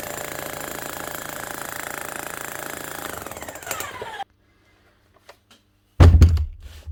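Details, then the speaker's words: Bosch GSH 11 E demolition hammer, about 25 years old, after repair with two new O-rings and fresh grease: a fast, even hammering rattle for about four seconds that stops with a thunk; a better sound, striking steadily. "she's making a better soon didn't I that's a better sound already"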